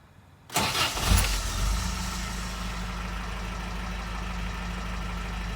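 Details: Toyota 22RE engine with a random misfire: it catches and settles to a slightly uneven idle with an occasional irregular stumble; misfires occur around 2000–3000 rpm.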